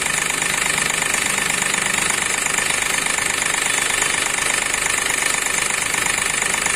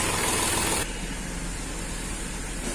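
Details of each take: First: Accident-damaged Hyundai Xcent with a broken intake manifold, code P0193 fuel rail pressure sensor circuit high, stalls after 10-15 minutes: idle with a steady hard knock about three a second, from a cut rail pressure sensor wire. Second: Accident-damaged Hyundai Xcent petrol with code P0193 for the fuel rail pressure sensor, after repair: a smooth, even idle with no knock or misfire. No trouble codes remain and the problem is solved.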